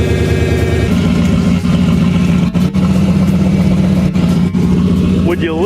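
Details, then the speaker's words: Turbo Thunderbird running: loud steady whine at one pitch over the engine rumble, normally constant; owner suspects torque converter or transmission front pump. Transmission whine. "it just sounded really bad but I'm pretty sure that the torque converter I don't know if it's the front pump on the transmissi"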